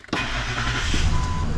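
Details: After fuel pump replacement, pump relay confirmed via actuation test: engine cranks briefly and catches cleanly into a steady low rumble without stumble or misfire; healthy start.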